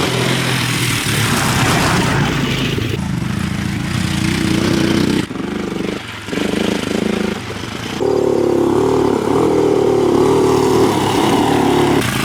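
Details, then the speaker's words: 1985 Yamaha three-wheeler ATV, barn find that sat about seven years after kerosene was put in the tank; after top-end rebuild with new exhaust valves, pull-started with no battery: single-cylinder thumper settles into a steady beat, pulls up with throttle and holds without dying, running normally. "the exhaust is painted jeez man it runs i mean what can i say"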